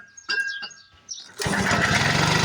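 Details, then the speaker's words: 1940s Frazer B1-7 rototiller, unrun for years in a shed: quiet cranking clunks, then it catches on carburetor starting spray and runs at a steady rough buzz; fuel filter missing, tank not yet fueled. "all right we got a runner we got a runner"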